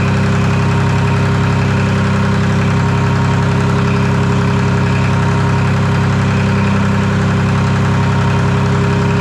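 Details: Detroit 3-53 three-cylinder two-stroke diesel first start after 25 years, camshaft reversed after a backwards install in its 2000 rebuild, no exhaust or driveshaft fitted: even, steady drone with firm regular beat, no misfire or knock. Normal running.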